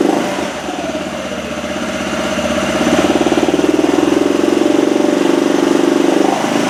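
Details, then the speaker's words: 2007 Arctic Cat 400 ATV, unused 1.5 years, carburetor cleaned, fresh fuel, rope-started: single runs with a rapid, slightly uneven beat about four per second, then falters; owner reports it dies once warm. "And we're dealing with that issue that the owner was telling me about that once it warms up, it dies out on you."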